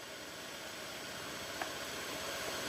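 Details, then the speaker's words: Honda Beat FI that was dead, running with the battery disconnected: soft, even idle with no misses or knocks, revs fine; engine and ECU normal, battery suspected of overloading and needing replacement. "Ini motornya normal loh, digas saja mau nih. Jadi nggak ada masalah, normal juga."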